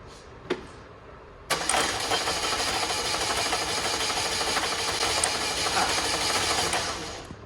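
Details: 2004 Chevy Malibu Classic petrol engine, first start after ATF engine flush, fresh oil, filter and new timing chain tensioner: fast, even cranking about six seconds, no firing, quicker than normal. Crank no start, timing chain jumped.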